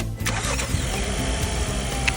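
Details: Car that would not start, after a plug was reseated and the resonator box reinstalled: brief crank catches quickly and settles into a steady, even idle with no stumble; starts cleanly, problem solved.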